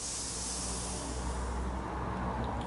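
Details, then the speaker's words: KX110F pit bike, fuel cap opened on a cold day: soft steady hiss fading over seconds with petrol smell as built-up pressure releases; the tank had swollen out, put down to a temperature change. "I can hear the hiss and the stench of petrol, but releasing the pressure, it's been like swollen out, just the temperature change thing."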